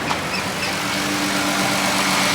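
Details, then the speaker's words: Car bought at auction, idling with a steady, even idle and smooth low hum, no knocks, ticks or misses; engine sounds healthy, though the radiator was found empty with coolant in the reservoir and a leak suspected. "The motor sounds healthy, sounds very, very happy."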